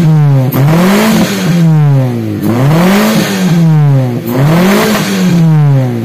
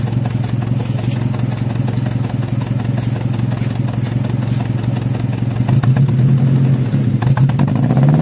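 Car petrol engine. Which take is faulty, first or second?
second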